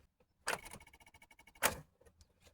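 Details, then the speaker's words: 2010 Honda Accord 2.4 with a new battery and alternator, dim and flickering cluster, before repair: turning the key gives only fast, light clicking with no cranking while the dash lights go out. Caused by a bad engine ground connection, not the ignition switch or starter. "Nothing. All the lights go away. Personally, I don't think it's the ignition switch and I don't think it's the start as some people told the owner of the vehicle."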